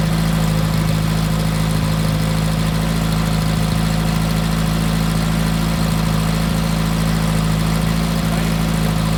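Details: Freshly rebuilt VW Type 1 1776cc engine (90.5mm pistons, Engle 100 cam) bench-run on a dolly during dynamic timing with Flamethrower distributor: steady, even low rumble with no knocks or misses; a healthy idle.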